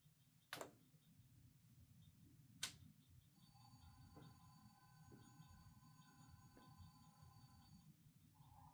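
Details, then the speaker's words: Walthers Mainline GEVO ES44AC DCC sound locomotive on powered track: faint thin horn and soft engine sound barely above room hiss, horn at its loudest still weak — low speaker volume from missing speaker enclosure, before speaker replacement. "That is the loudest that it gets. The horn should be the loudest, and I mean, you can hear it, but you can't hear much beyond that."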